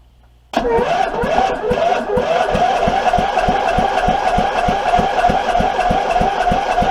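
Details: Abandoned Troy-Bilt 23 hp V-twin engine, choke cleaner sprayed in: starter cranks in uneven chugs, about three a second, with wavering whine, never runs; later found internal problem and missing part causing no spark and kickback.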